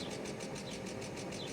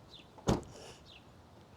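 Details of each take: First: 1998 Mercedes S420 (W140) restarted after a rough run: steady, even idle with no stumble, runs better. Earlier roughness suspected electrical; smooth idle. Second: 1998 Mercedes S420 (W140) jump-started with a booster pack on an old battery: after firing, the idle surges and stumbles about once a second; rough running.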